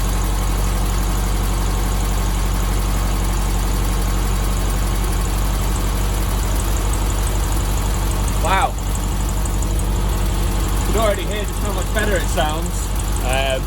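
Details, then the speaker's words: 1972 VW Beetle 1200 air-cooled engine idling after valve clearance readjustment to quieten valvetrain, before oil change: steady even idle, soft low rumble with faint light patter, valvetrain quiet, runs smoothly. "sounds good to me"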